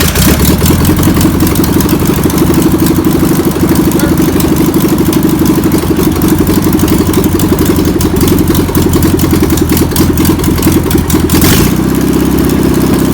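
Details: Air-cooled flat-four in a VW pressed-bumper-panel bus, sitting over 50 years, keeps a steady, busy idle for the whole run after penetrating spray and fuel are added, with no dying or hunting. Owner suspects a bad fuel pump. Deemed a runner.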